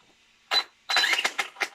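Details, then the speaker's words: Kyosho Mad Van brushless RC car, something catching, seemingly at the rear, owner suspects a stone got in; short harsh irregular clacking bursts as the wheels turn, drivetrain clacking. "Si on l'entend encore. Ouais, ça claque méchant. Donc je vais regarder qu'est-ce que c'est."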